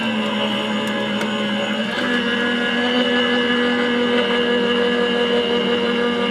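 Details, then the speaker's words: Gemini cutting machine with a shim of two A4 self-healing cutting mats plus acrylic plate: steady motor whir that drops and settles at about two seconds as the rollers take the plates; cutting properly, unlike mats alone which made no cut. "So let's try 2 and plus the acrylic. Now let's see. Oh, hear the change of noise? It changed."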